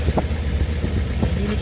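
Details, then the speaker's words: Willys engine idling, with gauges showing oil pressure, amperage and temperature: low, even, smooth rumble with no misses or knocks, very quiet through the muffler; the clutch squeaks. Normal idle. "wow this thing runs like a sewing machine seriously it's so"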